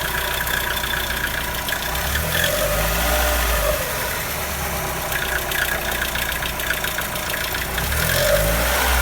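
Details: Mazda Miata NB petrol engine at idle with a weird sound: low, uneven throb with a faint rapid ticking over it; cause unknown, owner asking for help.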